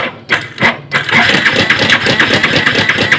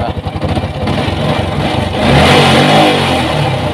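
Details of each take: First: Yamaha Vixion Advance motorcycle at idle. Rough, fast metallic clatter, about three raps a second; the mechanic judges from the sound that the cam chain is at fault. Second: Yamaha Vixion Advance after an emergency repair for a rough engine noise caused by a wobbly crankshaft, with the radiator refitted. Picks up cleanly from a fast, even beat into a smooth, steady rev with no knock or rattle: normal running.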